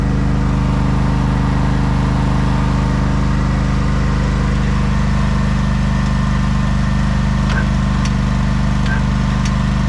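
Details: 1989 Craftsman riding mower just jump-started after long storage runs with a steady low drone and even beat. It tends to stall when throttled up but is otherwise normal running.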